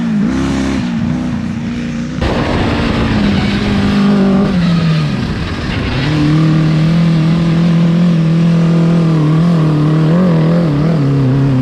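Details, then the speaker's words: Honda CBR1000 engine in a home-built off-road buggy, driven in high range through the gears after gearing and shifter fixes. The high-revving engine sounds raspy and uneven under load; a miss and lost power are suspected, cause unconfirmed. "It sounds like it's definitely not running right. It sounds like it has a miss, like it's It's definitely not running full power, but this thing is finally drivable."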